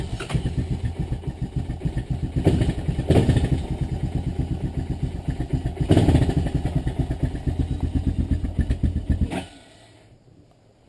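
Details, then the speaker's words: Honda Recon ES ATV single-cylinder started cold after not running; low steady thumping with slight surges, a bit rough until warmed, normal for cold-natured Recons. "And that's another thing, you know, the Recons are cold-natured, so you have to be patient with them when they're cold."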